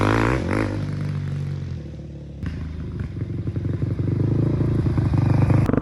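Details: 2005 Honda CRF450X, sat 10 years, after needle richened one notch, main jet 190, pilot 45: crisp single-cylinder pulses climb steadily with throttle, no bog or stumble; pulling cleanly, normal running.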